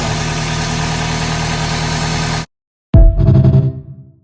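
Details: 2001 Toyota Celica GT, high mileage, after tune-up and high-mileage oil change with engine-quieting additive, previously slight engine noise and misfires: steady, even idle hum with no stumbles or missed beats; normal idle.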